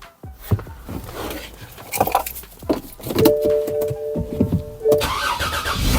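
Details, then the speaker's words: 2011 BMW 328i xDrive (E90, high mileage, all-wheel drive) after starter replacement, jump-started with battery at about 7 volts: cranks, catches and settles into a steady idle with no grinding or clicking; normal start and idle. "No issues yet. It did start, which is really no surprise because we were pretty certain that it was the starter."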